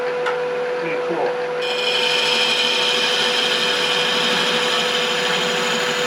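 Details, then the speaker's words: Lathe turning a thin-walled segmented vessel: hum with a sudden ringing, buzzing chatter as the tool excites a resonant frequency in the turret, which should be avoided; resonance chatter. "cool when you hear that vibration coming it's picking up a resin frequency of the in the turret and you want to avoid that"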